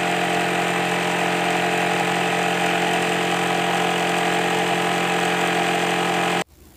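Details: Sewing machine after its excess noise was fixed: steady even mechanical whir at constant speed with no knocking or clatter until it stops; running smoothly and quietly.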